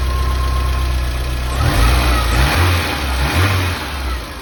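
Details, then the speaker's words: Porsche 924 after replacing coil, distributor cap and rotor and cleaning all earth points to fix a hot-start problem: low, even idle rumble with steady beat, no stumble or knock, block completely still; normal smooth idle. "that it runs really nicely it idles very smoothly the block is completely still which is the way it should be"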